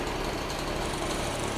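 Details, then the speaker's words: Piaggio Ciao two-stroke moped being revived, running on a lift with no battery fitted (earlier the throttle cable was stuck): a fast, buzzy, even two-stroke beat with no misfires or knocking, then dropping off. It runs smooth and healthy. "Oh, shoot. Runs good. Look at that. Wow. Smooth. I like it."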